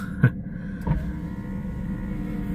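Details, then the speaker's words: Daimler car being chased for electrical faults: a couple of soft clunks, then a steady low motor hum as the power window glass travels up and down smoothly. Clicking was heard before it came back to life; it now works normally. "Okay, so that window is going up and down like a good 'un."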